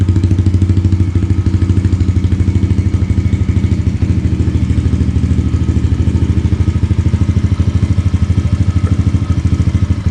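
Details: 2022 Yamaha TTR110 pit bike with full Pro Circuit exhaust, just started and warming up at idle: steady, even thumping about three beats a second, deep exhaust note; normal healthy idle.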